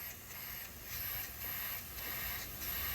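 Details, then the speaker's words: Boost leak test with the engine off: a steady hard hiss of air pouring out of the intercooler, swelling slightly in pulses, leaking from a side rung behind a bracket, a bad boost leak needing a new intercooler. "As seen just from that video right there, you could just hear the air pouring out. And so I had a bad boost leak."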